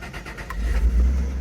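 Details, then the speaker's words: 1990 Chrysler LeBaron GT V6 convertible, automatic, after storage with a suspected battery drain and a fresh battery fitted: a short crank, then it catches at once and settles into a steady, even rumble; a clean, healthy start. "all it started right up attack's not working fuel gauge shows it's working"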